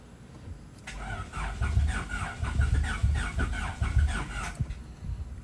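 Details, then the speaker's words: Honda Civic VTi D16Z6 rebuild, ported Skunk2 Pro intake and Crower stage 3 cam, initial start after compression test: starter churns steadily about four seconds but engine never fires; crank no start. "okay now let's try to start it up come on okay it's not starting let's try it again"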